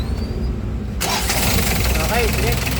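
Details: Hyundai H1 diesel that was hard to start when hot, tested right after its starter motor was repaired and refitted: short clean crank catching within about a second and settling into an even diesel run; normal start.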